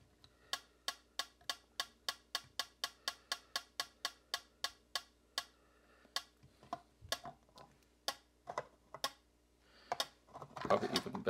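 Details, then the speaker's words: Vintage Heathkit TD-17 solid-state metronome placed in its box: crisp, evenly spaced ticks about three per second, then handling knocks; beating steadily. "I wonder what that sounds like in the box. Oh yeah, that that's a nice good sound."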